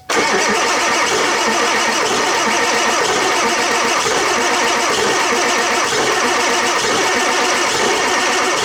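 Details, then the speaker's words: Ford Powerstroke diesel truck, cold start at 30°F after sitting 2½ years on 7-year-old batteries: strong quick cranking catches and settles into steady diesel clatter; starts cleanly, batteries hold up. "Holy crap! I don't know if you can hear that, but she was cranking over pretty good."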